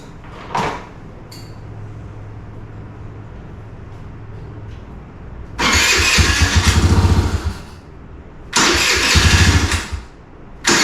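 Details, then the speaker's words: 2017 Kawasaki KFX50 kids' ATV that sat unused for several years, fuel on, safety switch bypassed, primed: two bursts of fast starter cranking, catching only briefly then dying. Suspected to run only on prime or the carburettor is badly out of adjustment. "all right it seems to still only be running on prime or the carburetor is out of adjustment to the point that it won't run"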